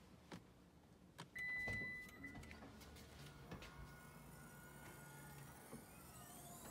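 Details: 2013 Lexus RX350, 156,000 miles, after replacing the power liftgate motor that had only given a long beep with no movement: short beep, then a quiet, even motor hum as the gate travels, no grinding; the liftgate now works properly.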